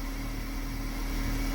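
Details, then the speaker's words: 2014 Dodge Challenger after replacing the fuel pumps, engine running: steady coarse buzzing whine from one pump over the engine; owner suspects it is pushing fuel to the other side and hopes it quiets once refueled. "I'm a little worried about this because I can hear this one ripping but maybe it's pushing fuel over here to this side I don't know what's going on"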